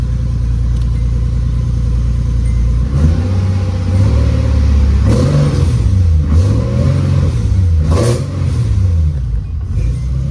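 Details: Nissan 240SX S13 with a swapped 370Z V6, newly running with no fault codes, exhaust pipe still needing repair: a deep steady idle, then several smooth throttle blips rising and falling cleanly with no misfire or knock; normal revving.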